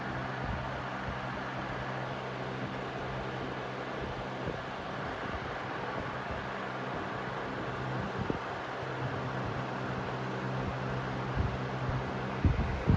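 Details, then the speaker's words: 2009-10 Galaxy 4733 20-inch box fan on high: steady even rush of air over a low constant hum, no rattle or wobble, quieter than newer fans; normal running. "Yeah, this is definitely quieter than the newer ones, even on high."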